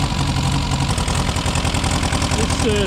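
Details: Car restarted after sitting about 6 months, choke pushed in, temperature rising, little smoke: even, steady four-cylinder idle with a smooth low beat and no misses or tapping. Normal idle.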